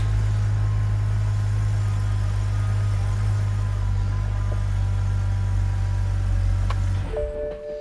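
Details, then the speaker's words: BMW E92/E82 idling after a steering rack replacement, during power steering bleeding: a steady low hum with the pump whine now gone as the air is purged from the system. "As you can hear, the whine from the steering pump is gone."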